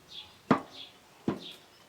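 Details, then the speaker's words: Heavy Chinese walk-behind tractor, engine off. The loose left half-shaft is pushed in and out by hand, giving two sharp metallic clunks from axial end play. Owner suspects it needs tightening or a shim washer. "З самого початку в мене був з лівої сторони такий стук. Стук, як в тракторі великому."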